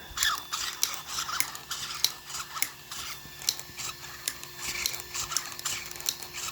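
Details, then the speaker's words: RC vehicle after servo mount and BEC install: sharp light clicks about twice a second, only under load, no motor drone; owner suspects the axle, cause not confirmed. "But listen, what's clicking? What is that? [Music] It only happens under load."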